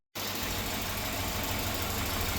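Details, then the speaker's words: Volvo B230 redblock after head gasket replacement, valve clearances adjusted: smooth, even idle with a steady low rumble and no ticking or knocking; quiet, healthy engine. "No, but listen how quiet that engine is. Just with those valve hushers and everything adjusted right, they can run so smoothly."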